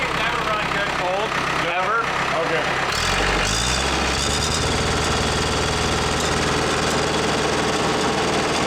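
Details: Case 430 skid steer with 4.5 FPT diesel that won't run right after falling on its side. Long crank, then it catches, and at high idle a loose, uneven knock rides over the diesel clatter. It has always cranked long and run poorly cold. Knock origin unknown.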